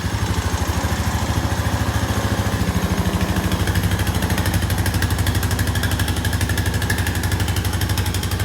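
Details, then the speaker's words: 2001 Honda Foreman ES 450 ATV, 3,380 miles, sat a while, started on full choke after carburetor refit: even, steady single-cylinder thumping at settled idle, no misses, knocks or rattles; sounds healthy. "I knew it would run. These Hondas are pretty tough. That sounds good."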